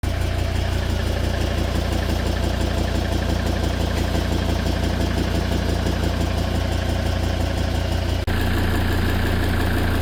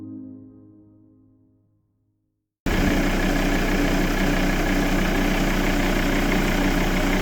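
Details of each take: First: Volvo V70 D5 120 kW diesel idling with a steady light ticking, about three per second, from failed hydraulic lifters; nine found damaged and one completely out, fixed by replacing them. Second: Volvo V70 D5 120kW diesel after replacing hydraulic lash compensators (9 damaged, 1 out) to cure ticking, a fading musical tone then a smooth, even idle with no ticking.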